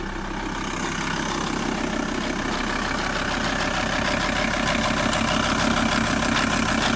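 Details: VW T4 TDI 150 diesel engine: regular light tapping about three per second runs through the idle clatter; engine knock, source unknown.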